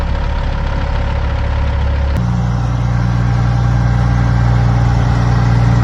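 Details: 2004 Kenworth W900L project truck with CAT C-15 diesel, just started before being brought into the shop: deep, steady diesel idle with smooth, even low rumble, no knock or miss; running as it should, normal idle.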